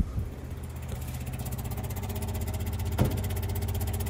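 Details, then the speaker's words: Electric fuel pump on a Daimler limousine parked since 1990, now 12-volt positive ground with leads swapped, runs properly with the key on: quick, even ticking about three a second over a low hum. An airlock remains in the fuel line. "I've got a fuel pump that works when the ignition is turned on, which is exactly what I wanted to have happen."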